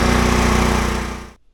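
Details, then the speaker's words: Ryobi generator that wouldn't run, now running after most of its carbon-monoxide shutoff wiring was disconnected, keeping the kill-switch ground. Its small single-cylinder engine buzzes evenly at steady speed, then shuts off and coasts to silence. "So I got this running. It had a lot of wiring things going on over here."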